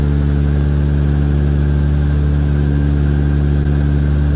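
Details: Big-turbo Supra, first start on a base map, fabricated 4-inch exhaust, small oil leak at the oil cooler sandwich plate: loud, deep, even idle with a steady low drone and no knocking, ticking or misfire; runs cleanly after startup.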